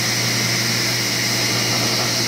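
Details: King table saw motor after bearing repairs and table alignment, blade raised: steady, even motor hum with constant pitch and smooth airy whir, no rumble or ticking; bearings sound healthy.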